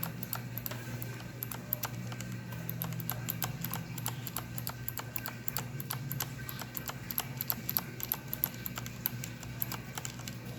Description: Better example of clicking/ticking noises of corsair k65, those are cherry mx reds, they should not be any where near this loud or clicky.